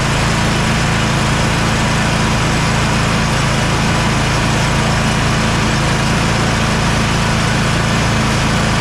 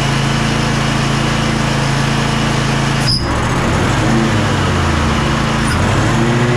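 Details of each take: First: Kohler KT745 (7000 series) twin on Bad Boy zero-turn mower after ignition coil replacement, run about half an hour with blade engaged: even, steady drone without misfire; running normally. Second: Bad Boy zero-turn mower, Kohler 7000 KT745 engine after about 20 minutes running: note sags and wavers without recovering as it loses all power; bogging, fuel ruled out as clear and flowing.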